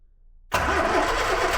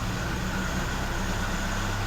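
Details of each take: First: Fire-damaged 1969 Ford Escort MK1 van, crossflow engine, carb primed, choke worked by hand, not in gear: steady cranking, no firing beats or pickup. Fuel pump not delivering, so crank no start. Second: Fire-damaged 1969 Ford Escort MK1 van, crossflow petrol engine, after plugging an oil leak: even, steady low idle with smooth regular beat, no misses, knocks or hunting, no smoke. Normal idle.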